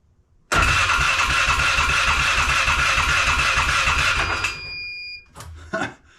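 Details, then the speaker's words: Polaris Sportsman 500 ATV with Chinese starter solenoid: switch wire showed 12.3–12.4 V but no cranking until the solenoid was tapped, then the starter whined and cranked; sticking cheap solenoid suspected. "I just tapped the solenoid like that and it went oh what a cheap solenoid if it's that bad maybe the solenoid has to be broken in"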